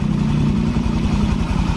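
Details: Honda Vario FI scooter after engine rebuild (destroyed piston replaced): even soft low idle putter with regular firing pulses, no knock or rattle; exhaust no longer smoking, engine normal.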